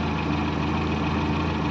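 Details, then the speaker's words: 1961 Morris Minor A-series engine after refurbishment with clutch replacement, new engine mounts and steady bar grommets: low, smooth, steady warm idle hum with no shake, miss or tapping; normal idle. "That sounds very, very, very smooth."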